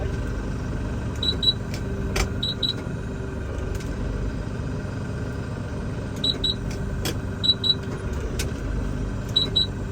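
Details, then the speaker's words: LS MT357 compact tractor, power-clutch shuttle cab version, at diesel idle while shifting direction: pairs of sharp high beeps come in clusters. These are the normal shuttle shift alert beeps. "one tip to make it a little bit easier, you hear it's doing the different beeps."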